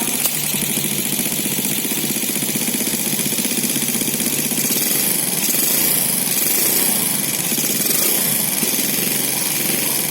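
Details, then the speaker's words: Four-stroke motorcycle idling before valve clearance adjustment: steady idle with light quick metallic ticking over it; valve tappet tick from excessive valve clearance. "Oke, mari kita dengar suara mesin yang membutuhkan penyetelan celah katup. Saya kasih lihat bunyinya. Terdengar sekali ya, dentingan logam."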